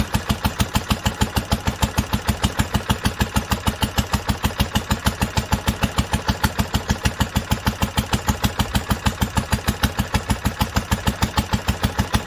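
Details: 1946 International Harvester LBB 3-5 hp water-cooled single-cylinder engine, first cold start after sitting covered a long time, started on the next pull after two choked turns; even, steady thumping about three firings a second, no misses or knocks, healthy.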